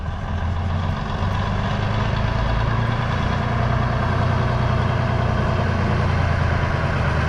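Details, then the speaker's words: 1965 Kenworth with Cummins 855 inline-six diesel, first run in years after new 12V starter: deep, even diesel rumble at steady pace, no knocks, misses or rattles; running smoothly. "well there you see 546 ply Barian truck number 546 under its own power for the first time in a long time"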